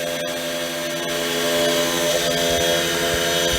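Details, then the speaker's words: Genmitsu 3018-Pro desktop CNC engraver with sand and cast-iron bags added for vibration damping: steady spindle whine, even motor tones, faint light ticks, no chatter; running smoothly and quietly with superb finish. "And it's quiet, and the finish is superb."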